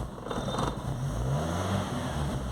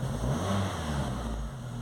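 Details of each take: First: VW Gol/Saveiro with morning hard-start complaint, tested with engine temperature sensor reading altered externally: starts at once and revs cleanly, rising and settling without hesitation or misfire; small temperature-signal difference changes how it runs. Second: VW Gol/Saveiro, cold morning start: engine catches then dies, and on acceleration revs roughly and unevenly like a bad plug lead; faulty coolant temperature sensor, tested by substituting a good sensor.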